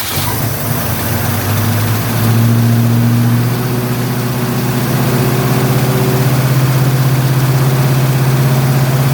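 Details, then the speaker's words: 1972 Ford Mustang Mach 1, 351 Cleveland Cobra Jet V8, first start after rebuild with no adjustments, cold and sitting on the high-idle cam: a steady, elevated idle with a slight uneven lope. Cold fast idle after rebuild, untuned. "It has no adjustments or anything. Of course, it's not going to sound right. It's sitting high idle on the high idle cam and it's cold."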